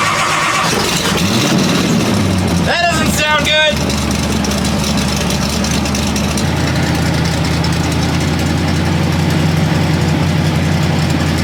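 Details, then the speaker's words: V8 start with a tired-sounding starter on the Hot Rod Power Tour: rough, uneven cranking whirr with ragged catches before it fires into a lumpy idle. "This starter is really not sounding great, and we're gonna do our best. Hope this thing doesn't explode."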